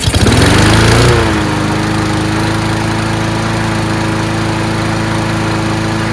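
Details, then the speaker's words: Free garbage-pick Troy-Bilt TB240 Honda-powered self-propelled mower after carburetor clean: surges briefly at start, then settles into steady even drone at constant pitch; runs really well now, normal running. "so there you go it runs really well now"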